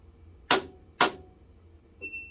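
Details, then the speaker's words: LG WM2016CW front-load washer when starting a wash cycle: two sharp clicks half a second apart then a short beep, door lock failing to engage, followed by dE error; fixed by replacing door switch and lock assembly. "at times when you try to turn on your washer and you try to launch this the washing cycle you hear the clicking sounds"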